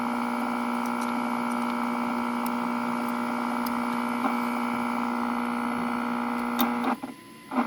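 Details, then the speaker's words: 1941 Crosley B36-BS battery farm radio during servicing: loud steady buzzing hum constant over the music after a ground wire came off inside the set. "there's a problem wire came off the ground came off let's see if I can stick it back in there"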